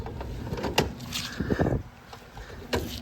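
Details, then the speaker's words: Suzuki Samurai being pushed slowly: three or four irregular heavy clunks from the rear axle with quiet between them, skipping then locking. Broken axles and a gunked differential were found on removal. "that sounds horrible. And you can totally tell it's the uh axle here because it just it's it's kind of sort of skipping."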